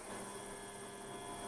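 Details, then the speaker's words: Optimum TU 2004v mini lathe after stripdown and rebuild, spindle at low speed of about 240 rpm: low even hum, faint steady whine, no knocks or grinding; much quieter than expected, running smoothly. "much quieter than i thought it would be much quieter that's spinning away nicely"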